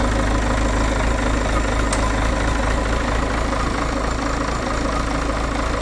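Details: Citroën C5 2.0 HDi 180 diesel at idle: light, somewhat irregular tapping about four times a second over the diesel clatter; abnormal engine sound, cause unknown.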